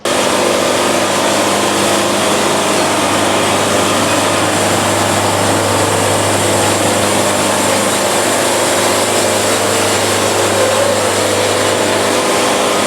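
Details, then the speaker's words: Bandsaw sawmill cutting at fast feed, which cures band bounce and sawdust packing: steady, even engine drone through the cut with no chatter or flutter; band afterwards mirror smooth with zero buildup. "look again I mean mirror smooth zero buildup at all this thing is running great"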